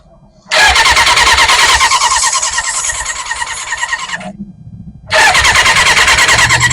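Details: 1991 Kawasaki Ninja ZX6, first start in 10 years, before carb rebuild: catches and revs hard, then sags and stumbles as throttle closes; will not idle, carbs to be rebuilt.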